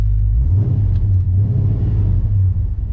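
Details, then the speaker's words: 1969 Plymouth Fury III V8 with Holley carburettor after fuel-starvation fixes, driving after 10+ minutes running: deep steady rumble pulling without stumbling or cutting out; fuel issue seems resolved. "Ah, sounds good. Runs good. Ah, we'll just have to check it out."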